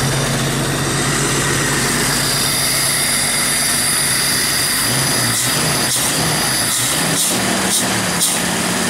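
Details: Jeep Wrangler YJ engine idling right after throttle body cleaning and reinstall with new gasket, out of gear: steady, even, smooth idle with a few sharp knocks from nearby handling, a normal idle.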